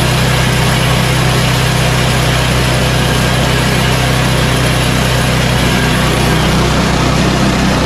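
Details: Yard Machines 8HP Tecumseh snowblower after carburetor replacement (632334A) and tune-up with fresh oil, at full throttle: steady, even engine note with no surging or hunting; running smoothly.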